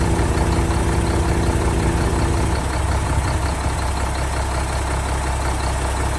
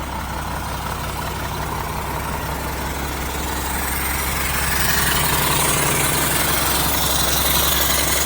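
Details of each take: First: 1975 Mack FR700 8x4 twin-steer truck, first start in many years after fuel bled to injector ports: steady, even low diesel rumble with regular beat, no knocks or misses, just after catching. Normal diesel idle. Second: 1975 Mack FR700 8x4 diesel, first start in years after bleeding air: even idle with steady rhythmic chuff about three a second; air compressor puffing through an open discharge port.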